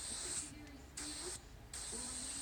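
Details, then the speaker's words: Tire valve stem with the valve core being removed using a core tool: steady sharp hiss cutting in and out as air escapes freely through the open valve. "So you can hear it, the air is coming out of the valve right now."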